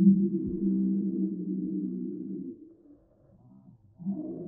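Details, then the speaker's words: Phone (iPhone) after being dropped in water: speaker gives a muffled, gurgling low buzz with highs gone, sputtering in and out, as if choking on water; water-distorted speaker. "У меня еще телефон такой звук издал, как будто захлебывается водой. Динамики просто пердят после воды."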